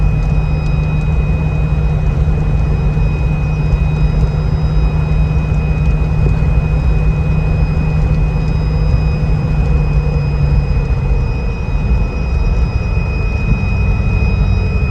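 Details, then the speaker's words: 2004 Jeep Wrangler, 40K miles, driving at cruising speed: steady high whistle over heavy road rumble, easing as it slows, from the overhead LED roof light bar; wind noise, fix planned with a cover. "I'm sure you guys can hear that we're definitely going to do something about that um we'll probably just end up getting a cover for it that way from an inspection standpoint on where you are you'll already have the cover and that will help out with that noise"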